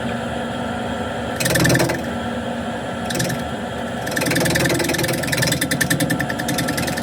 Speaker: So that noise is the split.